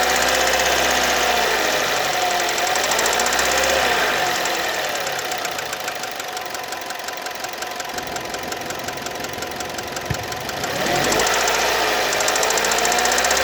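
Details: Kia Ceed, warm engine: a sharp, regular ticking knock, about four per second, rising and falling with revs. Only when warm, not cold; valves adjusted within tolerance, so not valves. Source unclear.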